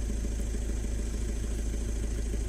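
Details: Audi A1 Sportback diesel during a service, just started after priming the empty fuel filter with the fuel pump: even, steady diesel clatter at idle with no misses. Normal idle.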